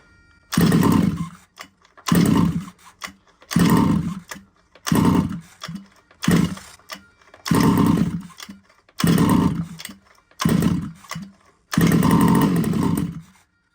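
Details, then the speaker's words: Small two-stroke RC car from a used job lot catches in short buzzing bursts about every 1.5 s and cuts out between. It won't keep running, and at full throttle it didn't seem to engage. Starting with the choke in the wrong position is mentioned. Engine runs only briefly. "well it's running but it didn't run for very long and it didn't feel like it was engaging like I get it full throttle and it nothing nothing"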